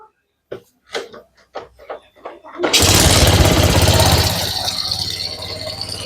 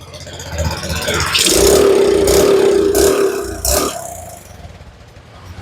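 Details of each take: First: Suzuki Smash motorcycle that sputtered and hesitated under throttle, after fitting a new CDI: a few cranking bursts, catches at once, settles to smooth, even idle. Starts as easily as before; weak CDI found as the cause. Normal start. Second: Suzuki Smash motorcycle starts easily, but when throttled the revs climb, then sag and surge, stumbling about three times a second. This hesitation under throttle was traced to a weak CDI giving poor ignition.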